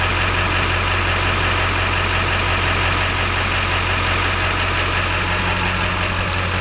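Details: LB7 Duramax diesel, owner suspects failing injectors (worst balance rate 3.2, idle rail pressure about 5500): a steady idle with an even clatter about three knocks a second and a heavy low drone, sounding uneven. Rough diesel idle.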